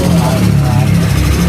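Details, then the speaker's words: New Yamaha NMAX/Aerox scooter, quite new, idling: rough busy metallic clatter (ngeletek) over the low engine drone, harsh even at idle: worn intake rocker arm bearing and shaft. "Nah untuk kasus ngeleteknya itu kayak gini bang. Nih emang sih posisi idle lamsam pun dia bunyinya kasar banget ya untuk di sini"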